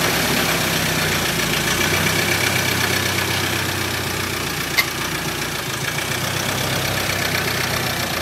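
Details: 2013 Ford Ranger 2.2 TDCi after fitting a new recon (reconditioned) engine: even diesel idle with a light, regular clatter and steady speed, no misses or knocks, no leaks found; the engine sounds healthy.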